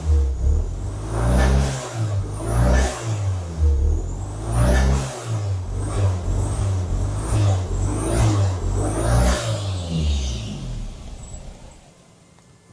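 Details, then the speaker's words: 1987 VW Golf Mk1 Turbo GTI after fuel pump swap, revved in slow swells about every 1.5 s: rough puffing chuff under load; massive leak heard behind the turbo, owner unsure if manifold or something loose. "Right, so one thing there definitely is a massive air leak somewhere, because I can hear it. So it's somewhere back behind the turbo somewhere."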